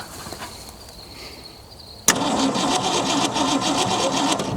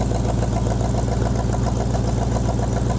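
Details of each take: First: Junkyard 1965 Mustang, 289 2V V8, four-speed manual, sat 30 years: cranking about three beats a second with a hard clunk each turn; oil pan bottomed out or crushed, owner suspects crank scrubbing the pan. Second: 1965 Ford Mustang 289 2V, four-speed, revived after 30 years in a junkyard, float adjustment just fixed flooding, about 57 psi oil pressure: even, steady V8 idle with regular firing pulses, no stumbling; owner suspects a vacuum leak somewhere but it idles cleanly.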